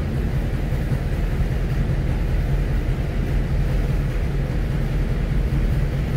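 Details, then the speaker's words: Honda B18C1 (stock, eBay turbo) swapped EG hatchback on dyno: steady slow lazy rumble, idle super low; intake temps still high, water temp cooled; owner later suspects a vacuum leak all along, cause unconfirmed. "all right we are back in take temps have not cooled off with the water temp has and our Idol is super super low"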